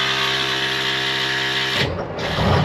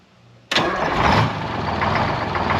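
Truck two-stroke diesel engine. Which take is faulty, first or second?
second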